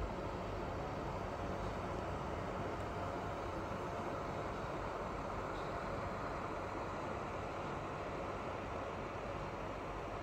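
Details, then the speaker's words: PS4 Pro console running eFootball 2023: constant loud whooshing rush with low rumble, no rise or fall; fan very loud like a jet engine, cause not evident. "yes the fan sound is really loud on PS4 Pro"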